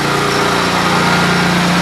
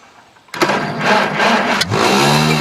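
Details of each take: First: Kawasaki-engined small single, free machine sitting 2 years, pull-started and fired right up amazingly easily: smooth, even, steady idle with no misses or knocks; runs healthy. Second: Tractor with leaking fuel and a weak battery: brief cranking, then catches and runs rough and uneven at a fast idle; hard start, owner blames the battery or choke, not confirmed.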